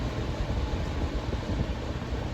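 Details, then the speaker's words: Older Patton fan that had stopped working, revived, runs quietly on medium: a steady low motor hum under soft air rush with no rattle, scrape or wobble. Normal motor hum. "wow it's quiet sounds good let's see about see the switch is still functioning medium yeah i can still hear the motor humming"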